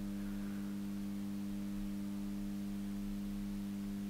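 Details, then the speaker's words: JSI grid-tie solar inverter (2000TL/1500TL) bench-tested with PV input over 100 V, delivering about 270 W AC: steady clean electrical hum with a few fixed tones, working normally under load. "we're getting AC 270 Watts out that's pretty good so this one seems to be working"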